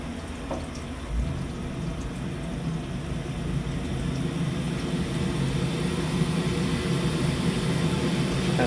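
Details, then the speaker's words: Flat's gas boiler kicked to maximum fire during a gas pressure check, standing pressure about 23 dropping to about 18–19 at the gas valve, which is in order: a steady low roar builds and holds evenly with no pops or flutter. "Turn it on and we get the boiler to kick into maximum. And that will tell us obviously our lowest gas pressure that we'll be receiving at the gas valve."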